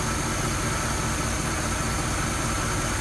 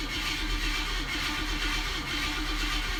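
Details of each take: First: 1965 Oldsmobile F-85 Cutlass V8, cold start after a stalling issue believed fuel-related, some old fuel still mixed with new: low, even, smooth idle with no misses, stays running. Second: 1965 Oldsmobile F-85 Cutlass cold start after sitting, newly added fuel filter just starting to fill: catches on the prime, runs about three seconds, then stumbles and dies because fuel isn't yet reaching the carburetor through the pump.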